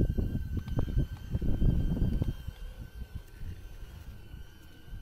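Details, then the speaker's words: Ariel Grizzly triple-motor ebike climbing a short steep off-road hill without all motors engaged (mid drive alone apparently): uneven, jerky low pulsing under a thin whine; the motor stutters under heavy load and fails the climb. "no failing can hear the motor shuttering a little bit so no no go"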